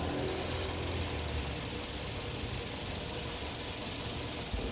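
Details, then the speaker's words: Kia New Carens 2.0 LPI at idle, no fault codes: uneven, lumpy irregular thumps with the ISC duty swinging up to 33% during the stumble; a misfire, likely ignition-related, though it never appeared under engine load. "많이 흔들리네요 그리고 탄수 센 싸 ifc isc 가 많이 흔들리네요"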